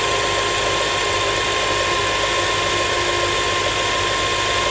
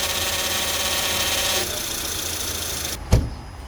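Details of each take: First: Comparison pump with no problems: smooth constant hum with steady high whine, no fizzing or gurgling, a healthy power steering pump. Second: 2004-08 Acura TSX at idle, wheel turned to full left and right lock: hissy power steering pump whine over idle that fades at straight-ahead, suggesting air leaking in somewhere; high and low pressure line rings to be checked.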